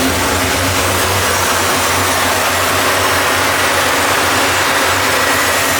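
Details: 1973 Impala 406 small-block Chevy V8 after replacing a collapsed lifter and fitting 2-piece guide plates on aluminum AFR heads, total timing about 36°. Steady idle with a smooth hiss on all 8 cylinders while warming up. No valvetrain ticking.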